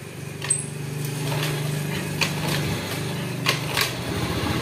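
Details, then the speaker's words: Honda Scoopy ESP fuel-injected scooter with hard starting, kick-start cranking with low chugging turnover that won't catch; fault traced to the fuel pump, suspected clogged filter starving the engine. "hidupnya ya hidupnya susah Nah ya oke langsung saja bosku Ya permasalahannya ada di bagian pulpamnya bosku"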